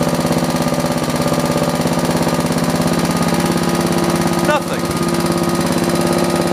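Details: John Deere 112 round fender with Kohler K181, new carburetor fitted: slow even single-cylinder thump stuck near idle, never picking up speed; won't throttle up, fixed by governor and throttle linkage adjustment.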